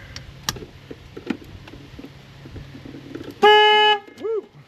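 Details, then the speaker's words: 2002 Nissan Xterra with blown head gasket, just after reconnecting battery: silence, then loud steady half-second horn blast and a shorter toot; horn going off by itself, owner suspects anti-theft system fault. "That's not good. Why is my horn Oh no. Why is my horn going off? I think the 2002 anti- theft is having problems."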